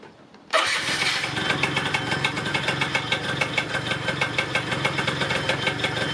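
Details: Yamaha Neo's 50 scooter, 50cc two-stroke, restarted after service (new hoses, air filter, spark plug, 2-stroke oil) to check battery charging with a multimeter: catches straight away and settles into a quick, crisp, even putter with no stumbles or rattles. Healthy idle.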